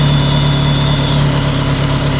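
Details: Ferrari 360 Spider V8 at idle before intake gasket replacement: a thin, steady high-pitched whistle over a smooth idle, from air sucked past leaking intake manifold gaskets. Vacuum leak at the intake manifold gasket.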